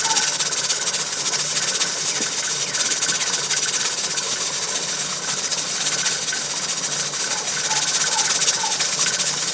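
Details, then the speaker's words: Pressure canner on an LP hotplate outdoors at just over 11 psi: continuous steam hiss with soft, irregular rocking rattle from the jiggler weight; normal venting at operating pressure. "you want to stay right up there where it jiggles that that and it's just over 11 pounds on the pressure gauge"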